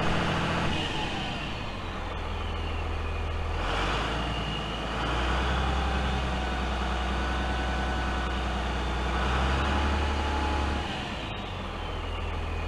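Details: Freightliner FL70 diesel with new 4-inch Donaldson exhaust off the turbo: deep, smooth rumble swells twice with throttle blips and settles back; exhaust even and quiet with a faint turbo whistle, healthy.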